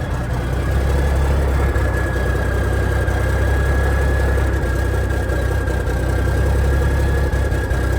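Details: 1987 cab-over truck diesel, first start in years on new batteries, cold start, oil pressure about 40: deep steady idle, even low thrum, faint constant whine, no knocks or hunting; sounds healthy, normal idle.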